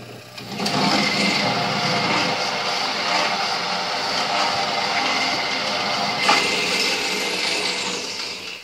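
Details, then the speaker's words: Late-1980s Murray riding mower converted to go-kart with 120V 1/2 HP AC motor, in first gear, clutch pedal released: steady high rough hiss-whine as slack belt slips around the transaxle pulley. "that transmission pulley slipping around the belt make that noise"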